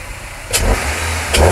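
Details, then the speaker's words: 2004 Nissan Altima 2.5 four-cylinder, warmed up a few minutes, after swapping the airbox for an open short-ram intake filter with MAF adapter: idles then two quick blips with deeper, throatier intake roar, settling back cleanly; sounds better than stock. "that sounds a lot better than compared to stop"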